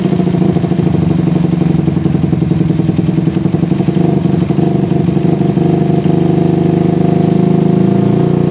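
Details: PE24 carburetor after replacing the needle jet with a smaller one to cure a rich low range. An even, steady putter holds its speed with no hunting or misses; the idle is more stable than with the previous needle jet.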